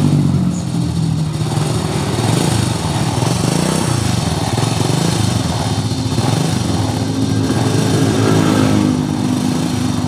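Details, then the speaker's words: 2001 Honda Supra X motorcycle idling with rough, fast metallic rattle around the cylinder head; timing chain found tight, valve clearance checked next. "Ya, bunyi kemericik di sekitar silinder head."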